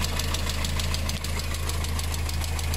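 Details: VW engine with timing chain, no belt, bought with engine damage, oil and coolant mixed from a failed head gasket: quick light ticking about seven per second over low idle rumble; sounds like a lifter tick, cause unconfirmed.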